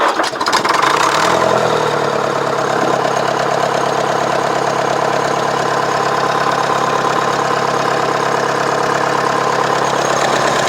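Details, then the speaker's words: Nuffield diesel tractor after an injector fault was fixed: catches after a short crank and settles into a steady, even, knock-free idle; with a few revs it runs perfectly and shows no water leaks. "Right, that was just to let you hear it run. And as you can hear, a few revs on and it's perfect."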